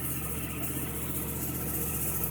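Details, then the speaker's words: 2009 Yamaha R1 that showed error code 12, started in extreme cold after sitting, using starter fluid, after starter relay replacement: fast, even low burble holding steady until switched off; normal idle, relay was the fault. "That sounded different. Yep, it worked. Yay, guys. 2 thumbs up. It works, guys. Everything's good."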